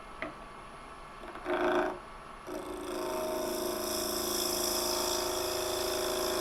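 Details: Turning a fresh-cut holly bowl blank about 5 inches across on the lathe: a thin, steady buzzing whine as the gouge cuts is tool chatter; a sharper gouge was needed.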